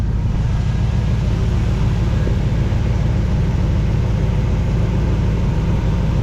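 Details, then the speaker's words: 1979 Pontiac Trans Am 10th Anniversary, revived after sitting about 30 years (parked 1995), idling after its longest drive yet on a roughly 70° day, heat burning off the exhaust: low, even V8 burble with no knocks or misses; normal idle. "Yeah, we just got heat coming off the exhaust. This is the longest the car's been driven at any speed. Nice little burble."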